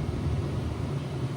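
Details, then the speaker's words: 2016 Ram Big Horn cabin blower after a fuse-box fix for a blower that would not turn on: a steady, even rush of air with no rattle, squeal or surging. The blower is fixed and running normally. "you guys can now hear that blower fan blowing. It's blowing great. It's fixed."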